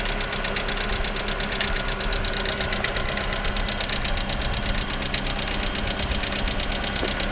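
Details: Lada Priora at idle: fast, light clatter from the top of the engine keeping time with engine speed, noisy hydraulic lifters; all were replaced under warranty.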